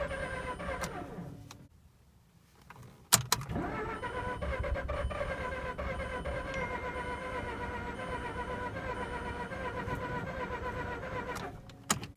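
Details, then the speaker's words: Mazda RX-8 rotary flooded after being shut off before warming up, cranked on a jumper with the throttle floored: starter spins evenly for about eight seconds with no firing at all; flooded engine, cranks but won't start. "you flood them it's just the worst experience ever the thing needs to be cranked for a really long time"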